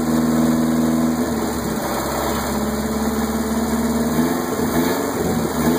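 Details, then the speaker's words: First run of a Fiat 1200 fitted with a Toyota 3K engine, after an ignition rewire: engine catches and settles into a slightly lumpy but steady idle with a couple of small blips; sounds healthy. "You know, for Toyota, this sounds pretty badass. I guess I know why people hot rod those Starlets now."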